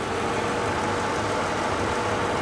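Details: Mercedes SL500 V8 at a Copart auction: even, steady hiss-and-hum idle with no knocks, misses or ticks; smooth and healthy.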